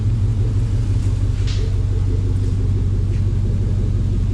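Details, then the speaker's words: Willys Wagon overlander build, run checking the exhaust, torque converter bolts still to be fixed: deep even exhaust rumble, steady pulse near three a second, no miss or clatter; normal idle. "oh I got to fix the Bell on torque converter bolts that sounds pretty good not going to"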